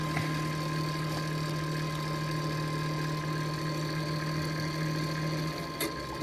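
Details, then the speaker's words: Noisy CPU cooler fan on a donated late-1990s Tiny Pentium III 450 PC running Windows 98, on first power-up on the bench: a steady loud drone with low hum and a thin constant high whine; dust clogging suspected. "why on earth is that noise that's the fan on the chick supply on the chip making that noise"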